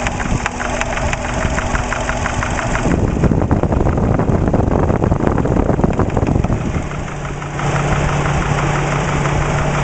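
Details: Subaru Impreza EJ20 flat-four idling, oil pressure 30 psi: uneven light tapping knock varying in strength, loudest at top of passenger-side cylinder head above cylinder one, comes and goes by day; began right after a startup. Drained oil showed no bearing metal. Cause unknown.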